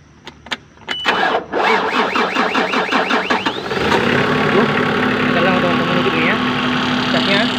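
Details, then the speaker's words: Lubish (as transcribed) 5-ton diesel forklift that keeps stalling while driving: very loud rapid tek-tek ticking at idle after cranking; noise disappears when throttle is pressed and the hand primer pump is pushed, returning when released; failing fuel pump suspected. "bunyi bunyi bunyinya sangat berisik bunyi tek tek tek teknya sangat berisik teman-teman tapi Eh pada saat dia bunyi sambil digas dan ini di dan pompanya di ditekan-tekan bunyinya hilang teman-teman"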